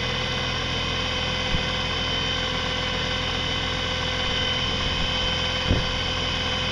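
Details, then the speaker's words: Used electric motor, salvaged from garbage, running after brush springs were removed and it was reassembled: steady even motor hum with faint rough rasp from the worn gear train, constant speed; motor itself runs fine. "part of the noise is just the rough gears down there cuz uh this was a used thing it was actually in the garbage"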